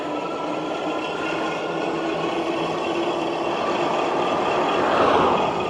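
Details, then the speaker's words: Gotrax Tundra e-bike at about 200 miles, rolling after braking: light rhythmic swishing scrape over tyre and motor hum; front brake rotor rubs once heated despite repeated caliper adjustment; owner plans to try another rotor. "you can hear that front brake rotor after that braking now it's rubbing"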